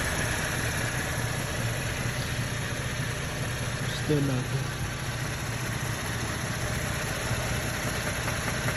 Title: 2012 Chevy Camaro RS 3.6l engine knocking. Need Help!